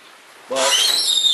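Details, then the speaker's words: Loud squeaking from dry, unlubricated plastic roller retainers on a garage door, heard with the door disconnected from the opener; owner first suspected drum or bearing. "I can assure you it is all these retainers right here squeaking I mean that's what all that noise is coming from and it's loud"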